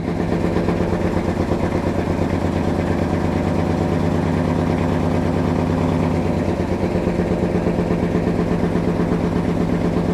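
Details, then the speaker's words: 1971 Dodge Sweptline big-block V8 just restarted after fuel hydrolock from carburetor flooding, idle: stumbling lopsided beat, one cylinder missing, running on about 7; firing order checked correct, plugs fuel-fouled, engine drowned in fuel. "Still got a miss. I think we got hitting on about 7 now. Man, she just drowned in fuel."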